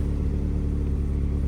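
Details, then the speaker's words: 1986 Honda Prelude Si idling, heard at the rear, idle wandering between 1000 and 1500 rpm: steady low rumble with a raw, splattery edge to each pulse; hole in the exhaust. "There is a hole in the exhaust, as you can hear back here. bad."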